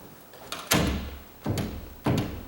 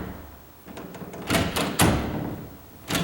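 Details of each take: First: Door that rubbed at the top, hinge screws checked tight, now checking strike plate adjustment: pushing the shut door gives three dull knocks as it shifts in the latch, play between latch and strike. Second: Door after bending the strike plate tab outward to lessen the latch gap: pushing the shut door gives a few solid knocks and short clacks with no rattle; latch now holds firmly in the strike.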